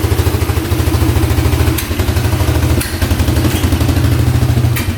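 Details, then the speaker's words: 1997 Polaris Magnum 425 6x6 ATV single: lumpy chug with sharp pops every second or two backfiring through the carb; owner suspects worn cam lobe. "oh it's running backf firing through the carb"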